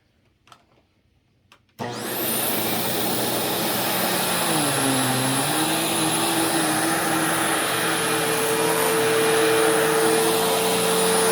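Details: Newly acquired Sharp Twin Energy vacuum (no height adjustment) on carpet: motor spins up, then an ear-piercing steady whistle over the airflow roar. Owner suspects air pulled behind something causing interference; source unknown.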